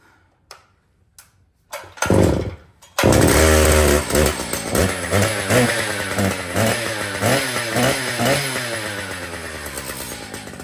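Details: Brand-new Stihl MS 881 chainsaw with 36-inch bar and chain, freshly set up and tuned: a few starter pulls, then catches, revs up and down cleanly and settles to steady idle; normal running.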